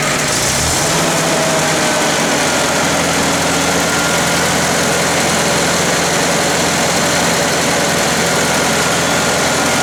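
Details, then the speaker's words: International Harvester 354 tractor after a wire was fixed and the ignition points were cleaned and reset to 14 thou: an even, steady engine note at fast idle with no misses or stumbles after 3–4 minutes of running; the sputter was an ignition problem. "It's kind of weird at first, didn't want to start, but once it started, it's been running for 3 or 4 minutes now, and it hasn't sputtered or done anything weird."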